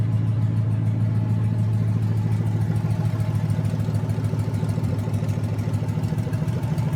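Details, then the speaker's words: Junkyard 2009 5.7 Hemi, about 80,000 miles, bound for a 1972 Cuda, on a run stand with new Hotwire harness and used 2009 Challenger PCM. First startup, no temperature gauge connected. Deep, even V8 burble with steady low hum, no knocks, ticks or misses. Normal idle. "Alright, there it is running. So everything seems okay."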